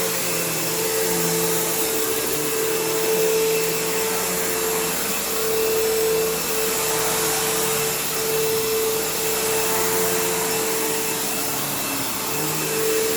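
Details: Kenmore PowerPath System vacuum on living-room carpet, just acquired: rough motor drone with a wavering, dropping-out whistle as the belt slips, and a long wind-down. Tired motor; the brush roll needs work and the belt needs changing.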